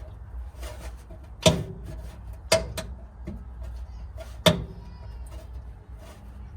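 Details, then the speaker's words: Left front fender-to-body joint flexes when pressed by hand, giving three or four sharp, dry clicks at irregular intervals; owner suspects this panel flex is the mystery rattle, possibly heat related, not confirmed. "now that's a section of the the body down there that is flexing a little bit and creating that clicking noise like that and that is where it's joining the fender"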